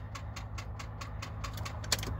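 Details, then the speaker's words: Big block Silverado in snow, about 30 degrees: rapid even clicking, four or five a second, over a low hum on crank attempt; battery dead, no start. "give her the old big block snow start oh more like a no start freaking battery's dead"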